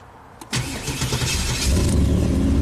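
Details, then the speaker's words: 1995 Chevy Camaro V8 after no-crank repair: starter solenoid circuit draws about 7.9–8 amps, normal, after bypassing an aftermarket security system; brief even cranking, then the engine catches cleanly into a steady deep idle. Normal crank and start. "7.9 amps beautiful so to do the proper repair i would reconnect these two there it's mean let's try again about eight amps that's normal"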